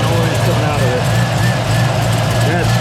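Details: 1969 Camaro after re-fitting one header with a rim-flex gasket: low, even idle rumble with no ticking or puffing on this bank, so the header seals; a minor tick was still heard on the other side.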